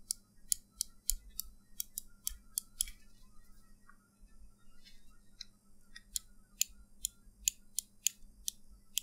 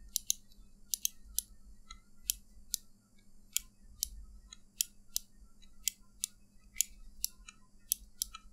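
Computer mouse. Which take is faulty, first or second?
second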